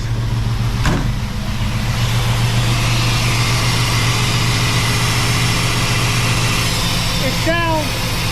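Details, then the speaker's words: 1963 Willys Wagon resto-mod V8 with throttle body injection and new fuel pump, just started in park after neglect: fast, steady idle with strong low rumble that stays up; owner set the idle too high while adjusting, to be fixed. "I got the idle turned up pretty high. I did that trying to, well, when I was playing with it. So we'll fix that."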